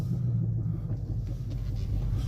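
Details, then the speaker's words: Dodge Charger arriving at the dealership at low speed in the rain. Deep, droning rumble underneath that swells and fades with no clear beat, louder than before. Driveshaft said to be beyond repair: driveshaft rumble. "all right guys we're pulling up at the dealership man this joint like it got louder"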